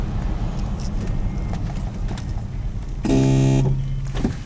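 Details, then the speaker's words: 2001 Toyota 4Runner braking from about 40 mph, at the last point of stopping: road rumble then a half-second electric buzz; suspected ABS, like wheel-slip in snow, no codes or ABS light. Cause unconfirmed. "did it again um yeah so i don't know it's very confusing to me and very aggravating it's just kind of obnoxious sound"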